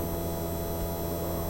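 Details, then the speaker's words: Honda Del Sol project car, abandoned for years, key on with engine off: steady, even electric hum and whir from the fuel pump priming normally after a fuel pump repair. "beautiful I hear that fuel pump and here we go"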